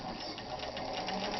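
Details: 1960s Kenmore 540 sewing machine, freshly restored, straight-stitching on heavy denim: smooth even whirr with quick steady stitch rhythm, no knocks or catches; normal, healthy operation.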